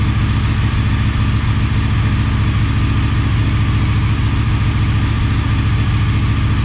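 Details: Motorcycle idling on second start after full teardown and rebuild, coolant and oil topped up: steady, even thump around three to four beats a second, no ticking or misses; normal healthy idle.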